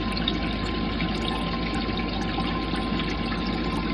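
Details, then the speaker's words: Old Rule 3700 pump switched off and back on: steady electric hum with a fixed mid tone under a constant rush of flowing water; pump working normally, flowing strong. "let's turn and stop it and start it again and now i can hear some water yep there it goes it's working"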